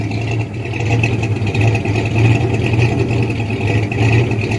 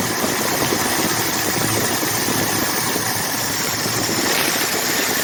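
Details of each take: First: Rebuilt 1979 Ford F150 engine at normal idle, oil pressure steady: low idle swells and dips about twice a second in an uneven lope, the cam rocking the truck each hit; lumpy rough idle. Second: Rebuilt 1979 Ford F150 V8, warm, with temperature and oil pressure good: steady, even idle with hissy intake rush on top, no misses or stumbles; normal idle.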